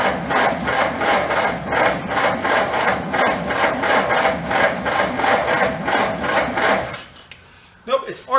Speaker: it's arcing somewhere else again. I can literally hear it arcing. I know the wires are burned up.